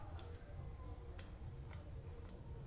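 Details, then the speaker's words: New bike front wheel after re-adjusting the disc brake caliper to stop rotor rub: only a light freewheel tick every half second, no rubbing or scraping; caliper clearance now good. "Silence. Nice."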